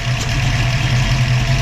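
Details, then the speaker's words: Low, lumpy, wavering idle from a 302 Ford with Autolite 4100 carburetor idling around 600 rpm, A/C on, idle-up solenoid unplugged and its vacuum line disconnected; idle drops and gets erratic under A/C load. "That's unplugged. AC on. Idle's dropping."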